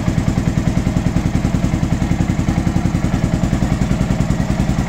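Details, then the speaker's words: Honda XBR 500 with about 60,000 on it, first start in 2023, on temporary black-painted exhausts with pipes not yet cut to size. Idle set to about 1000 rpm; steady, even single-cylinder idle with no knocks or misses. Normal idle. "1000, hú de szép, hú de szépen jár. Gyönyörű hangja van. Gyönyörű hangja van."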